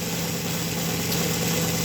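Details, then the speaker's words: Model train motor in a reverse/boiler smoke conversion, supply cranked from 5 to about 31 volts at up to 2 amps: steady electric hum with clean whine rising as speed builds, no rattles or scraping; runs smoothly. "That's like having a big old race car motor and you're just flipping the gas, you know? It's barely running and you crank it up."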